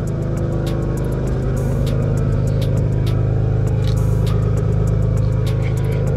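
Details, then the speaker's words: Old car bought as a daily driver, idling with the hood up: steady, loud low drone with a rough, blatting pulse, far louder than a sound exhaust should be and smelling burnt; an exhaust leak is suspected but unconfirmed. "the exhaust sounds so bad why does it sound like you have a super exhaust leak"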